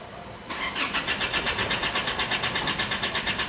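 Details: Isuzu D-Max diesel that stalled while driving: starter cranks steadily at about 170 beats a minute but it never catches; scan shows rail pressure not rising, suspected fuel rail pressure switch or injector rail fault.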